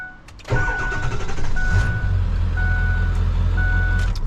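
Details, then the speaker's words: Ford Excursion 7.3 Power Stroke diesel, nearly 300,000 miles: brief crank, catches at once into a steady even rumble, normal quick start; since a fuel filter change it usually needs 4–12 crank cycles as if starving for fuel; owner suspects a fuel leak or control module. "So, fired right up. That's how it's supposed to start."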